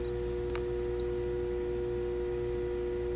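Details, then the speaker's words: Loud steady transformer hum/buzz with pure mid tones from a powered ADA Digitizer 4 programmable digital delay bought at auction, stops when switched off; owner may open it to dampen the sound, cause not confirmed. "hear that that buzz this thing's buzzing like crazy it's so loud i might have to uh pull it apart and maybe try to figure out if i can somehow dampen that sound a little bit"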